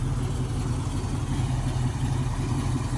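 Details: 1968 Ford Mustang coupe, 302 V8 with mild cam, 3-speed manual: deep, even burble with steady low rumble and no knocks or misses; healthy idle.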